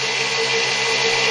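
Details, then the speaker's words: 6-pole zero force motor (ZFM) with wider 1.5" neodymium magnets and a roughly 1/8" magnet-to-coil gap, running unloaded at 48 V with one firing-circuit leg disabled: a high, steady whine with a faint flutter. The motor runs slightly out of balance, a slight rotor imbalance. "a little bit lopsided but you have to deal with that"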